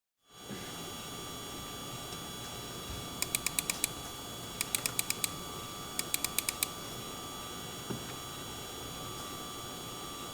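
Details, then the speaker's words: MSI RTX 4090 Suprim graphics card under typical load: steady high-pitched coil whine with buzzy overtones and bursts of chirping clicks, despite claimed high-efficiency carbonyl inductors; fans may stop below a set temperature. "Either way, this GPU has coil whine."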